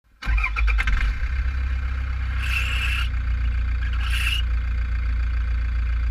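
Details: 2010 Toyota Prado 1KD diesel at idle after start-up, GoPro in radiator with fan removed: high squeal cuts in about half a second, fades, returns. Pulleys and belt new, balancer not slipping; owner suspects weak tensioner spring letting belt slip.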